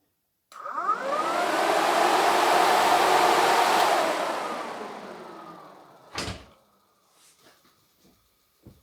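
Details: Jeep Cherokee XJ after an Alloyworks aluminum radiator and electric fan conversion, fans run on override before the engine is started: they spin up to a smooth rush, hold even and coast down with no rubbing. Normal electric fan operation.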